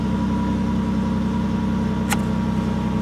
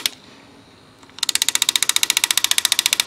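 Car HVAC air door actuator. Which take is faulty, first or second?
second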